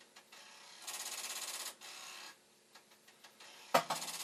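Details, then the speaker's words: Commodore 1541 floppy drive, test-drive mechanism on the faulty drive's board and power supply, running a continuous read loop while speed is briefly tweaked: fast buzzy rattling bursts with small clicks as the head hammers its stop; head knocking. "I did, just for a moment there, tweak the speed, and if the drive wasn't doing its head banging, you might have been able to hear it."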